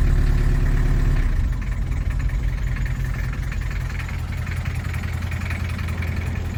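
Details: 1979 Toyota Hilux 2WD diesel pickup (RN30/LN30/LN40), imported to the UK from Thailand: diesel clatter settling into a slow, fairly even idle that sits a bit low; runs nicely but idle speed needs raising.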